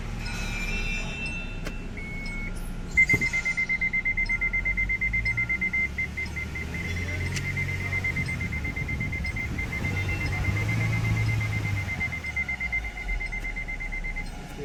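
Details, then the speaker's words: MG Hector Sharp Plus petrol automatic (2020/2021), engine idling in gear: steady high beeping about three per second as a gearbox warning. First and second engage but reverse won't. TCM code 182713 is stored. "तो ये हमारा reverse gear नहीं आ रहा है। बाकी first second gear आ गया है लेकिन रिवर्स नहीं आ रहा है।"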